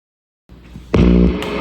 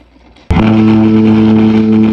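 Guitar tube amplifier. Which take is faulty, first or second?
second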